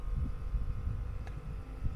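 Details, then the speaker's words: Newly commissioned heat pump inside an acoustic enclosure, running at full output; only a low, soft hum with a faint steady whirr, inaudible from where the speaker stands; normal, quiet operation. "ale tu gdzie stoję nie słychać to właśnie robi ta obudowa ona w tym momencie chodzi na maksa"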